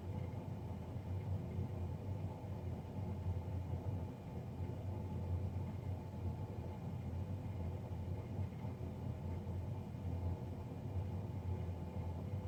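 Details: Navien NCB-240 boiler, serviced Jan 31 2020 and recorded Feb 3 2020: steady heavy low drone with no knocks or surges; combustion fan running far louder than it should.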